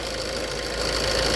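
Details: Maruti Swift at about 122,000 km, after timing chain and camshaft repair and refitting the number one injector coupler: steady, even idle with a smooth hiss and no misses or surges; slight alternator bearing noise noted. Normal idle.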